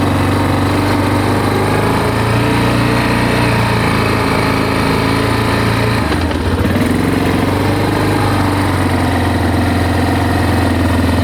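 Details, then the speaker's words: Big Bear 400 ATV just after a broken OEM muffler baffle was replaced with an aftermarket pipe, choke used at start: steady even low single-cylinder putter at idle, quiet with no rattles; healthy. "Come on. Oh my gosh, this thing's so quiet."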